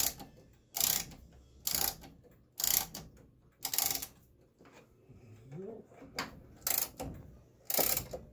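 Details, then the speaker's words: Vintage 1940s–1950s German Westminster chime wall clock being fully wound with the key: crisp, clean ratchet clicks about once a second; normal mainspring winding, wound until the key stops, overwinding described as a misconception. "there's no such thing as over winding a clock there's no such thing as winding it too tight"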